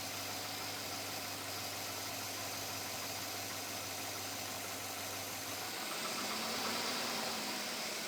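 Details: 2007 Chevrolet Avalanche at about 86,000 miles idles evenly with a light, steady tapping knock about three or four a second; owner asks whether it is knock or piston slap, unresolved after four dealer visits.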